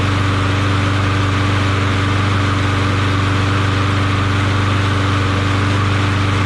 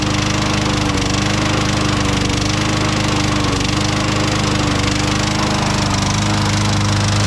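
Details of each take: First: Craftsman push mower after swapping badly knocking Tecumseh Vector 6.75 for Briggs Quantum engine, engine not yet bolted down: steady even drone at constant speed, no knocks, misses or rattles; runs smooth and quiet. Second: Craftsman mower with a Tecumseh 6.75 Vector engine runs at steady speed with a hard regular knock, three to four a second, which became constant after Seafoam was added; the spark plug is correct and gapped right.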